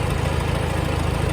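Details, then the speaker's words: 1954 Farmall Super C tractor engine idling after a new eBay 6-volt starter and improved battery connection; it started quickly. Steady, even low putter with no knocks or misses. Normal idle. "But it starts nice. That makes me pretty happy."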